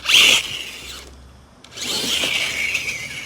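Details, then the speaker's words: Axial Ryft RC crawler with Hobbywing AXE 3300 R2, low gear and 14-tooth pinion: high, thin whine in bursts as motor spins up, much quieter in reverse; owner suspects a damaged spur gear (not confirmed), replacement being ordered. "i have to believe that i've got somewhere on that spur gear because what listen to this"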